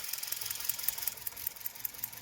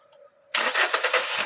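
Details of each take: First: Hyundai i20 petrol after replacing a melted, misfiring ignition coil with a new one: light, quick, even ticking over a smooth idle, no stumble; all cylinders firing, normal idle. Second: Hyundai i20 petrol just started: uneven, stumbling beat from a misfire on one cylinder, ignition coil melting because a burnt ECM coil driver holds the coil on; coil two recently replaced.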